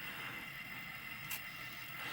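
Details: N-scale model BNSF locomotive coming down helix: thin steady high-pitched grinding hiss with occasional clicks; engine needs cleaning, drive sounds rough.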